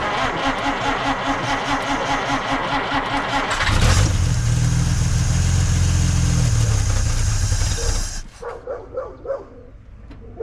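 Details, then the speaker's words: 1950 Dodge Meadowbrook after swapping to a 6-volt battery: starter cranks slowly at about four beats per second for nearly four seconds, then the engine catches and runs; slower cranking expected on 6 volts. "Okay, you can hear that it uh didn't spin over nearly as fast."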